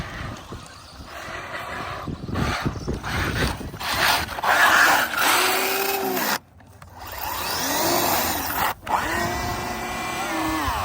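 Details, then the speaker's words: Traxxas Maxx Slash RC truck fitted with M2C parts, driving: electric whine rising with throttle plus a rough chattering grind that only occurs under power; traced to the rear differential. "There it is, rear diff. At least we know what it is now."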